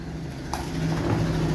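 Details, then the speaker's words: Midea 3iL microwave not heating; the board relay gave no 120 V and needs replacing. At switch-on there is a click, then a steady freezer-like hum with no heating, blamed on the capacitor/magnetron. "Viu que ele ficou com aquele barulho de freezer funcionando? Esse problema aqui, pessoal, é o capacitor, é o magnetron."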